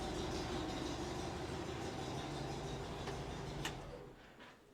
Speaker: Still a little exhausting. seems happy.